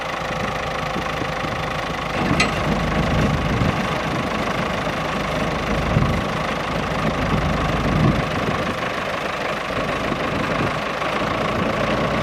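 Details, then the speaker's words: Howard 80 rotovator, first start after replacing the main rotor seal and repairing the bearing carrier, hinges and height adjusters, catches and settles into a steady, even run with no knocks or misses; normal running. "i'm just going to fire it up now for the first time the seat does actually rotate so here we go"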